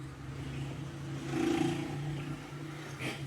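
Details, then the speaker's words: Car starter cranking with a low droning drag and steady hum; Bendix and other starter parts were replaced without effect, the cause was the worn starter rear cover bushing, fixed by replacing it. "trocamos bem Dix trocamos tudo desse arranque e o carro não para de arrastar fazer aquele barulho quando vira aí o que que era a bucha da tampa traseira do arranque fazer esse barulho"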